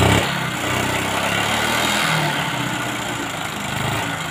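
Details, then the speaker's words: Honda Supra X 125 smoking white heavily with no power, oil-filled exhaust: small single-cylinder engine idles unevenly with a ragged, clattery beat and knock; rough running, mechanic suspects blocked exhaust, not confirmed. "nah ini ya bunyinya seperti ini terus di bagian knalpotnya sepertinya buntu nih ya Nah ini buntu sepertinya karena bunyinya itu agak ngebb-ngebub"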